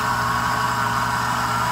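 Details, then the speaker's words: Mercedes SL600 V12 after mass airflow sensor wiring repair, during warm-up, a crack still to fix: smooth even idle, no fluctuation, runs like a sewing machine; normal idle. "runs like a sewing machine perfect no fluctuation on idle or anything or anything like that"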